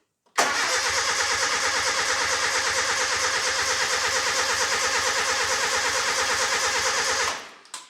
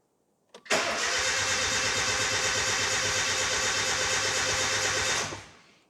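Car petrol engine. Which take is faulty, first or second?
first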